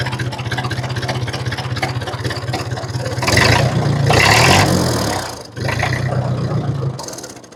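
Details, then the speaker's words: 1950 Ford 8N tractor straight four-cylinder in neutral after cleaning filthy spark plugs (had been running rough with occasional miss): slow steady chugging at about 300 rpm, firing evenly, brief rise mid-clip; healthy idle. "There we're idling at about 300 RPMs."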